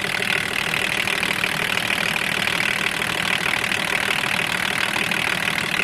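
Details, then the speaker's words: BMW 524td M21D24 diesel that had loud valvetrain knocking, after full valve adjustment: steady, even idle with light, regular combustion clatter and no valvetrain knocking; runs smoothly. "Oh sounds really good now with completely readjusted vows oh yeah it runs really really smooth like no big rolls on itself"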